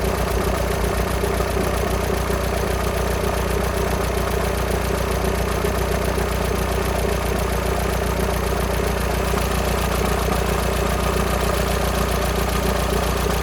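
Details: VW Sharan 7N 2.0 TDI common rail diesel (CFFB), cold start after new timing belt, injectors refitted and fuel lines drained without bleeding; light even rattle three to four per second at idle; owner suspects tensioner pulley, unconfirmed.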